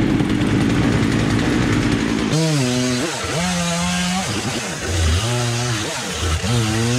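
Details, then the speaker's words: Free old Husqvarna chainsaw found at the roadside, revived and started on a warm day, low carb screw possibly needing a tweak: two-stroke buzz blips up and settles cleanly with each throttle stab, no bogging; runs like a top, normal running. "Well, gotta tweak that low screw a little bit, probably. There we go. Runs like a damn top."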